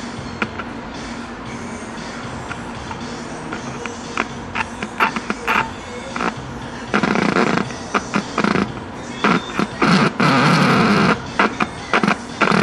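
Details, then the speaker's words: Packard Bell 35 old AM tube radio with field coil speaker and wax IF transformers, first power-up after new power cord and cleaning: humming from speaker with irregular scratchy crackles and buzzing bursts. Hum and crackling, cause not found. "plug it in and see what happens worse that can happen is it can explode and spray flames all over the place right I hear humming from the speaker"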